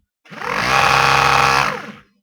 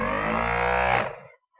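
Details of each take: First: Used eBay ABS hydraulic pump motor for a Ford Focus 2.0 TDCi (ABS light, code C1288-E0), spun on the bench: harsh buzzing grind; bearing appears gone, suspected. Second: Ford Focus 2.0 TDCi ABS hydraulic pump motor, removed from the unit and run on the bench: steady even hum for about a second then a clean stop; owner's original motor sounds smooth, unlike a used eBay motor with a failed bearing.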